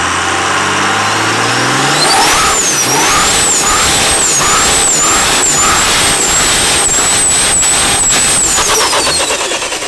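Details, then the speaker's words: Cummins-diesel-swapped Mustang, which also has a blown head gasket, with injection timing advanced to about 30° and more fuel added. Loud diesel clatter and hard knocking under a rising turbo whistle as it revs and holds. "We got a lot MORE FUEL ADDED TO IT AS YOU CAN HEAR THE KNOCKING NOW."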